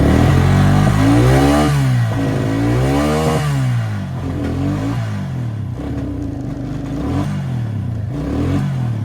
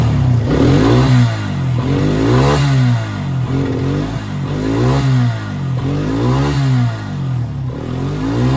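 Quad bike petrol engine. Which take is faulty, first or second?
first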